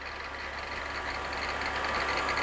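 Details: BMW E46 at idle after a short drive to reproduce the noise: a steady high-pitched squeal holds its pitch over a quiet idle. It comes from the belt tensioner pulley.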